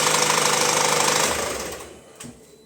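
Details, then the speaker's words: Opel Insignia, about 2020, 1.6 B16DTH, 136,000 km: fast metallic chain chatter on start that doesn't settle, caused by timing chain stretch, before repair. "Вот вот эта тема о которой шла речь и она не у если момент она успокаивала то теперь может успокоиться сразу с четвёртого пятого"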